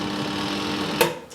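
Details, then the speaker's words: Good Ideas compact twin tub washer (Streetwize Portawash Plus) running its wash tub: steady motor hum with a sharp tick, the normal sound of its clockwork mechanical wash timer. "ticking sound you can hear rather old fashioned but that is the clockwork gubbins inside which controls the length of your wash program it's a mechanical timer rather than an electronic one"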